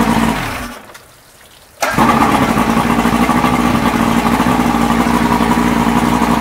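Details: 1989 Evinrude Javelin 175 HP outboard, final run: the starter grinds the motor over at a steady rapid beat, about four turns a second, but it never catches or runs; it cranks but will not start.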